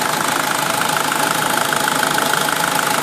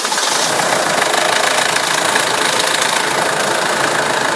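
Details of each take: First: SsangYong Kyron Mercedes-derived diesel, hot with fan running, idling with engine flush added during an oil change: steady, even diesel clatter with fan hiss, no odd knocks; smooth, normal idle. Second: SsangYong Kyron diesel starting right after an oil and filter change: harsh clattering with loud rapid ticking near four per second over a rough idle; suspected brief oil starvation while the new filter filled, not confirmed.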